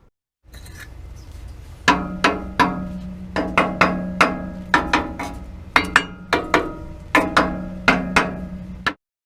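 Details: Nissan Pathfinder muffler heat shield after rotted factory clamps were replaced with mechanical hose clamps: firm metallic taps ring briefly and die cleanly, no buzz or rattle; rattle previously worst at idle.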